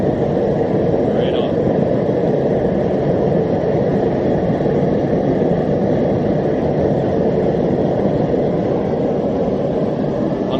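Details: Homemade gas forge on its first test run, with a burner using a drilled-out MIG tip (about 1.1) and a 30 lb regulator at about half (roughly 15 lb): a steady, even roar with no sputter, pulsing or popping. The burner runs cleanly.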